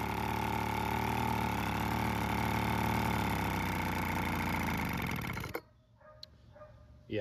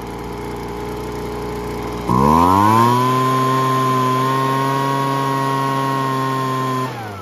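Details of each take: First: Weed Eater BV1650 two-stroke blower vac after about 10 minutes running: uneven, wavering buzz that sags and dies out, won't hold idle; carb out of adjustment, limiter-capped adjuster screw gave little change. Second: Weed Eater BV1650 blower vac after Walbro carb kit, limiter cap removed and screw retuned, air filter and cover refitted: revs cleanly to steady high whine without surging, drops back smoothly; running well.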